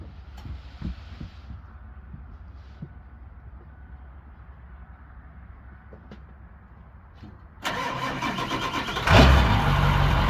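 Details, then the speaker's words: Ford 7.3 Powerstroke diesel, first start after KC300X turbo, downpipe and stack install, no coolant, exhaust unfinished: cranks, catches quickly, settles to steady even idle; quieter than before, small leak at stack. "That sounds better. I think it's I think it's quieter."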